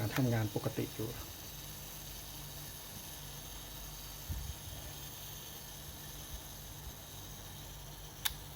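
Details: Yashica Electro 35 GT camera, tested after repair: a brief run of fine mechanical ratcheting settles into a quiet, even whirr and ends in a clean click; the self-timer works normally.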